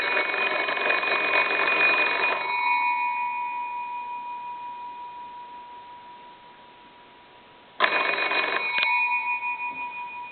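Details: Old wooden wall crank telephone, most likely a Kellogg, after repair: phone rung, fast even bell clatter for about two seconds that fades and starts again. Ringer working properly.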